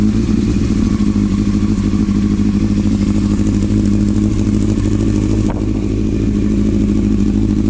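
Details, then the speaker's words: Fully restored 1999 Yamaha R1 with a carbon fiber exhaust can, ridden almost 100 miles and dialed in. Loud, steady four-cylinder burble holding even revs without misses or rattles; a healthy, well-tuned engine. "so bike's dialed in wrote about almost 100 miles already I love it it's a badass bike"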